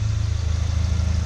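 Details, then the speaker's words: Volkswagen MK7 idling with a steady, even low thrum and no knocks, ticks or misses, heard right after an oil and filter change with new filter, O-ring and cap and no leaks seen; normal idle. "You can hear the car's running pretty good right now. I'm gonna let it run for a little bit, let it idle."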